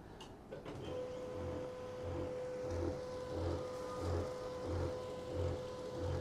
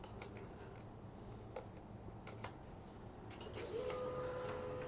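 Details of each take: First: Canon 2900 laser printer after long use: steady whine with a low pulsing "gru gru" grind about 1.5 times a second from a worn drive gear. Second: Canon 2900 laser printer after cleaning and repair runs smoothly with soft mechanical whirring and light clicks, no longer the annoying purring/squeaking gear sound it had before.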